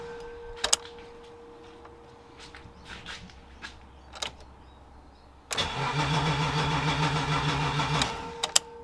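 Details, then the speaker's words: E30 BMW 323i Baur, first start after sitting 10 years, fuel gauge near empty, fuel added: starter cranks steadily for seconds but never fires; no fuel reaching engine, fuel pump blocked. "Doesn't sound like anything's happening. I just noticed it's showing pretty much next to no fuel on the fuel gauge, so I might just put some in and see what happens. Still nothing."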